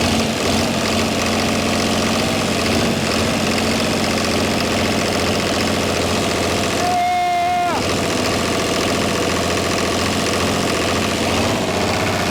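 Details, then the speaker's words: Chrysler-badged Mitsubishi 6DS70 six-cylinder marine diesel, after cranking with loose injectors until fuel reached the sixth: runs on its own with an even, steady beat and a brief whistle. Normal idle, no knocking. "we finally just got fuel coming out of the sixth injector and I think she just might take off"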